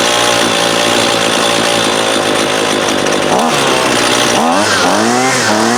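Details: 2019 Husqvarna 128LD 28cc trimmer, warmed up and under load, that won't idle: a high buzzing two-stroke sagging and stumbling twice during low-side (left screw) carb adjustment; lean hesitation.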